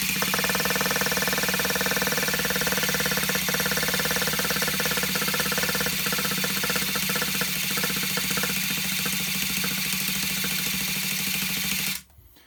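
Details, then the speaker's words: Vintage Traxxas Rustler nitro RC engine with new parts, low-end needle set half a turn out from flush, plenty of fuel: fast steady starter whir with rapid ticking for twelve seconds, never firing; crank no start, glow igniter suspected. "It sounds like she wants to go, b"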